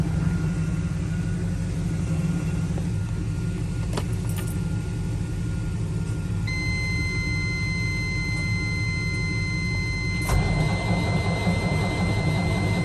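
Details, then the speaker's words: Peterbilt 387 with Cat C15: starter turns the engine in a slow, even churn of about three turns a second and it never fires; new fuel filters, fuel pump, primer pump, wiring harness and ECM didn't fix it, cause unknown. "everything has basically been gone through and it just cranks and don't start so let me give y'all a little taste of it"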